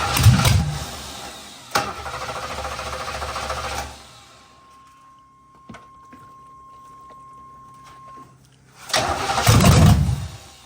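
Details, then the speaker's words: 1987 Camaro Z28 cranking in two bursts with loud open exhaust (mufflers missing), throttle held open after spark confirmed and fresh fuel added to stale gas; it never catches, cranks but fails to start, cause unconfirmed. "all right go give it a try yep doesn't sound much different let me put some fresh fuel in it"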